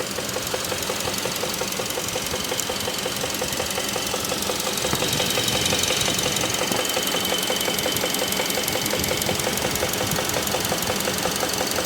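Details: 2016 Kia Optima GDI, 78,000 miles, idle, check engine light with code P1326: sharp regular knock about three times a second from lower left engine near pulleys and belts, heard close up; oil was dirty and low; owner unsure if lifter, rod or bearing.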